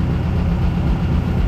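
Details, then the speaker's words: 1600cc air-cooled VW dune buggy, cold day (mid-30s °F), after new plugs, oil change and fixing swapped cylinder 1 and 2 plug wires: deep steady idle, all four cylinders firing, no misses; gauge appears to show 80 psi oil pressure, carburetor rebuild planned. "it's much happier that's not why it was missing before though I promise you that this sounds way better"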